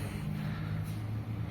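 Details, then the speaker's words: Fiat 500 TwinAir 0.9 two-cylinder 86 hp turbo, somewhat high mileage, at idle: lumpy diesel-like idle with a loose buzzing rattle from play in the internal turbo wastegate flap linkage, a common, easily fixed fault. "it's a rattling sound it almost sounds like a diesel and uh it's quite concerning given it uh sounds from the engine bay"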